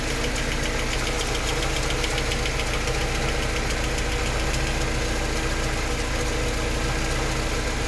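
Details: Mercedes 190E at idle: rhythmic fast even ticking about three or four per second following engine speed; source unidentified.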